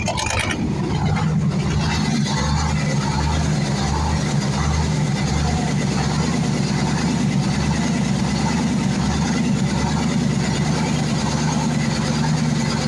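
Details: YaMZ-238 V8 diesel after full overhaul; loud, steady clatter at even idle with no misses or knocks; normal running.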